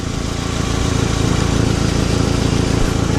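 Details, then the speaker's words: 2009 Nissan Altima idling: sharp puffing tick about four times a second over a steady idle, louder or quieter as a pry bar moves the joint; exhaust manifold cracked where it meets the cat, to be replaced. "This manifold is broken. Where the cat and the manifold meets is probably ripped at one point."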